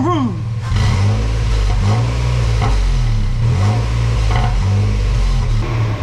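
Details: Exhaust after a replacement cat-back system was fitted and a leak sealant was applied and cured a week: engine catches and revs cleanly with a deep, even note, no ticking or puffing from leaks.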